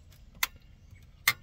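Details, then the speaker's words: Aquahot 450D heater, electric element switched on and off: two crisp clicks a second apart as the relay pulls in and releases, switching normally. "now listen you're going to hear the relay if I had this panel off right here you would just same as you do up uh a hot water heater propane and all that 120"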